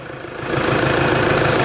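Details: Toyota Hilux D4D diesel after an unbearable alternator belt noise was fixed by removing and refitting the alternator: even idle clatter with a smooth, steady beat and no belt squeal or chirp; engine sounds healthy.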